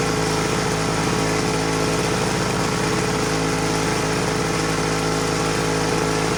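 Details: 1940s Homelite HRA 42V 115 V 1500 W two-stroke generator, on a rich oil mix, holds a steady rapid even drone with no misses or surging; running normally and reliably.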